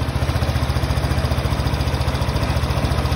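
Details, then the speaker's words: Honda PCX 150, about 5 years old, after replacing the collapsed cam chain tensioner with a Honda CB tensioner: steady even idle with no tick or rattle; clacking gone, normal idle. "Nah ini yang punya CB dan sekarang suaranya udah normal lagi"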